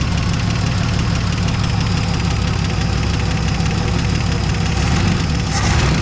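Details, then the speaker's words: 1970 Dodge Challenger slant six ("leaning tower of power") idling after its first start, with new plugs, old wires and a temporary fuel pump. A steady, even low rumble with no misses or knocks and little smoke; normal, healthy idle. "She's just the leaning tower of power, but she don't sound too bad. Sounds pretty good."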